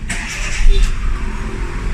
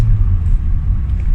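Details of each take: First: Hyundai Getz petrol 12-valve that had hard starting and high idle, after new sensor; short crank catches at once in one click and settles into a steady even idle, no longer hard starting. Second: Hyundai Getz petrol, warm with A/C on, with hard starting and an idle that varies when cold or warm: engine drone sits too high even in neutral with no throttle.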